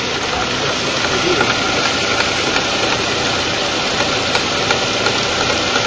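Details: Honda Fit at idle with the air box removed, filmed at the AC compressor: harsh rattling whir with faint ticks that worsens with AC on. Compressor was repaired once before; mechanic deduces a worn bearing/front shaft needing compressor replacement.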